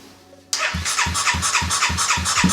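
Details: Honda Grom with a swapped CBR250 engine and a replaced fuel pump, not run for two years: it catches right away and settles into a steady, quick pulse of exhaust beats with no misses. Normal start.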